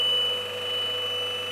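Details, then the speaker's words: Steady high-pitched tone from a professional leak tester, briefly broken once, as test gas is applied at a found vacuum leak on a Scanning Electron Microscope; owner suspects an old gasket. "in the test gas and then it will give the it will give the sound a beeping sound"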